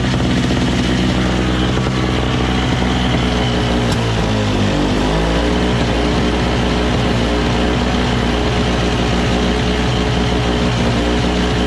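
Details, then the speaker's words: Single-stage two-stroke snow blower running on full choke with fresh premix: a steady, fast buzz that dips near four seconds; the auger paddles spin without the handle pulled, as if always engaged, though it's loose. "so so while it works right the paddles are already spinning without even me pulling on it so it's kind of like all the time engaged and it's loose so that that shouldn't be it"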